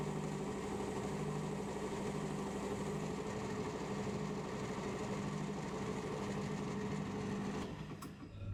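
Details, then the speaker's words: Lathe running while machining a hydraulic cylinder part: steady motor hum with a soft, uneven thump about three times a second, a knock from a drive belt that is separating. "I know if you can hear that knocking I'll just start the L and turn it off again you'll hear it g glun glun um just going to try and get this Dimension finished and then pull up cuz the belts decided to separate"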